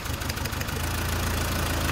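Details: Four-cylinder Golf after repair: cylinder three was dead (shaking, low power) and its ignition coil was replaced; a few light clicks, then even steady idle, no stumble or miss, all four cylinders firing. Normal idle.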